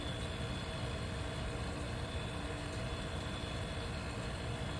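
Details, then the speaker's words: 1973 Westinghouse 25 pint dehumidifier, R12, just acquired; steady low even drone, no knocks or rattles, fan motor balanced and healthy, though it later starts slowing and needs oiling. "so this will be a perfect use because since it's nice and quiet it's uh very smooth operating"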